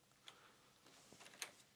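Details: Motorcycle heated-grip circuit after fitting a new automotive relay: two quiet, crisp clicks about a second apart as the relay pulls in cleanly; the grips now work.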